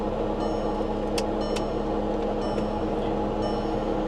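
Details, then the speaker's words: Vehicle at auction started with a booster pack: right after start, steady droning hum with a high thin whine over the idle; very slow to engage gears, possibly flood-damaged; abnormal running noise of unknown cause. "there we go ooh that doesn't sound good what is that"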